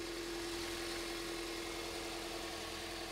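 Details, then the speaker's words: 2001 Toyota Avensis, owner reported bubbling noise, idling before repair: quiet, faintly uneven, stumbling beat under a steady hum, missing more evident than heard when revved; cylinder four coil found dead; misfire from failed ignition coil. "we start the car hope you can hear that kind of stumbling and missing I just rev it up it might come through a lot better not really but believe me it's missing"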